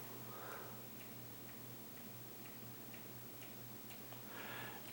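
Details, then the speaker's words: Ceiling fan on medium speed, wobbling and bobbing: faint sharp ticks about twice a second over room hum; no clicking on high. Owner ties the clicking to the wobble, which he suspects comes from a loose blade support or the downrod, unconfirmed. "and i fixed one clicking ceiling fan before in my life most of the time most ceiling fans don't really click like that and it's wobbling because probably of a couple different reasons"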